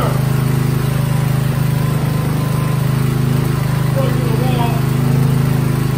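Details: Coleman generator with a Briggs & Stratton engine, first start after sitting six months to a year: steady low hum with an even firing beat around 220 a minute, holding speed without surging; running smoothly.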